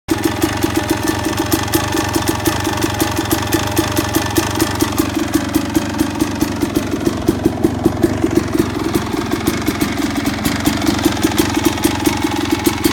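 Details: Suzuki RM250 two-stroke: fast, even metallic rattle at idle that ticks along with engine speed; source unknown.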